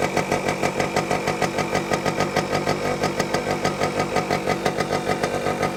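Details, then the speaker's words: Vintage two-stroke bike, either the 1973 Yamaha RD250 or the 1974 Kawasaki F7-175, at fast idle with a crisp, steady beat and even pulses, no misses. Runs pretty good, though the choke needs work, the carb likely needs cleaning, and an exhaust gasket is needed. "not too bad runs pretty good needs a little little work uh choke needs some work"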